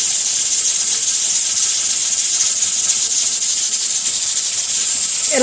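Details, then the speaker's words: Pressure canner with two stacked 5-lb weights on its regulator, on a stove: steady, loud steam hiss as the regulator vents continuously from too much heat, before the burner is turned down low. "I just turn the heat down on my stove I got it bent to a low setting if you have a stove with different sized burners that'll rattle for a little bit"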